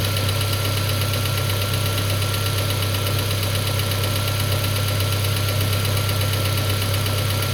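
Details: Peugeot 407 2.2 petrol, cold idle, Total 9000 5W40 oil: light regular knock about three a second over a steady hum. It appeared after ring replacement, valve lapping, valve stem seal replacement and idle-air channel cleaning. Source unclear.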